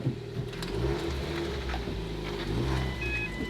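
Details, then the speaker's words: Cheap salvage-auction car, Titanium trim, being checked on delivery day; it runs and drives. Steady low engine hum at idle with no knocking, tapping or rattles over light garage noise: normal running. "It runs, it drives."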